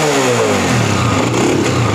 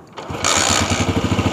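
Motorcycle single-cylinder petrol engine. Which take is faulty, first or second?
second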